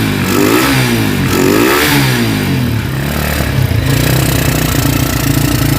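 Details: Honda Tiger single-cylinder motorcycle that smokes when cold and has lost power, started after a wash: throttle blips then rough idle with uneven clicking clatter from the cylinder head; cause found to be loose rocker arms.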